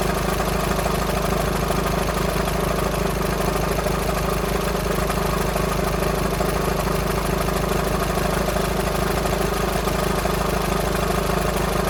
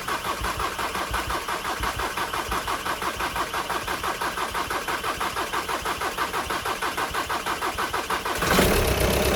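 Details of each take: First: VW Sharan 2.0 TDI CFFB common-rail diesel, cold start after new timing belt and refitted injectors without bleeding: steady idle with a light, fairly even rattle about twice a second; owner suspects a bad tensioner pulley, not the engine. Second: VW Sharan 2.0 TDI common-rail diesel (CFFB), cold start after a week or two sitting, following injector removal, timing belt, fuel pump and filter replacement without bleeding; steady cranking about three beats a second for eight seconds then catches and runs evenly; self-primed fine.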